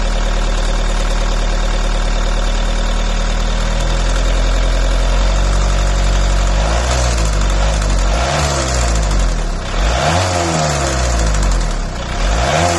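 Engine idles roughly, then revs rise and fall with an odd uneven pulsing underneath that doesn't clear; the source isn't obvious.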